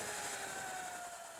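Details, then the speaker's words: Sur-Ron with Luna Cycle 219 primary chain kit after re-shimming the front sprocket and new jackshaft bearings, hard acceleration: smooth rising whine, even chain hum, no clatter or grinding; sounds as it should, though owner notes sprocket is worn. "yes yes that is the way it's supposed to sound so i think either shimming it lubing it or tensioning it properly is the right thing to do"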